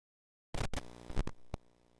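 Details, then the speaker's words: Nintendo Switch headphone jack cabled into a GoXLR mixer's line-in: crackles and thumps as the cable goes in, then a low steady buzz/hum from a ground loop, possibly via the mic or PC-powered USB cable. "you can hear that it's got that z that buzz sound to and i think that's because there's some kind of feedback loop being generated by one of the other cables that's plugged in"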